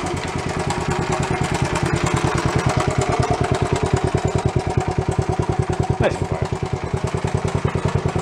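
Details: Worn barn-find Honda CT70 Trail 70, started without choke, cleaners burning off: small single thumps at fast idle about three pulses a second, slightly uneven; rough running, tired engine needing tune-up, cause not confirmed.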